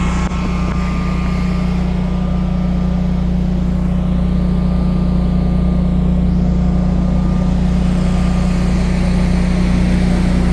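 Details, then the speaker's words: Generac 24 kW home standby generator firing up and running its exercise cycle; deep steady engine drone with an even low hum, no knocks or surging; normal running. "t switch make sure you always whenever you're out here working on it with the snow and stuff you look at it make sure it's not code 2800 cuz you hit the switch as you can hear she's firing up"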